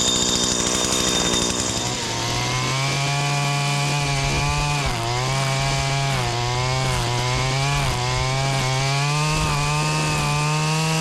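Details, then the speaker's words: Stihl FS80/FS85 trimmer after top-end rebuild (34mm cylinder kit), warmed up while cutting; two-stroke revs up and down cleanly with smooth pitch, no bogging or surging. Earlier air leak from too-thin kit intake gasket fixed by refitting old gasket; now idles right. "Once I changed it back to the old shaft, the old intake gasket, man, it worked fine, idled just right"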